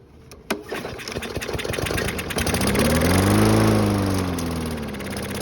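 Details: Toro mower, a couple of years old, that wouldn't start, being coaxed by priming fuel into the carburettor: a pull, uneven sputtering, then it catches and settles into a steady run; hard starting, fuel system suspected.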